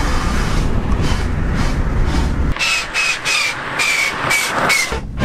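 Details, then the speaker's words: Manual-transmission car shifted into reverse at 100 km/h: steady road roar, then harsh rasping grinding bursts and a thin whine as the gearwheels rub against each other without engaging. Reverse gear grinding while moving. "Shifting into reverse at 100km/h is a very bad idea It doesn't work It doesn't go into gear The gearwheels are rubbing against eachother You hear those grinding"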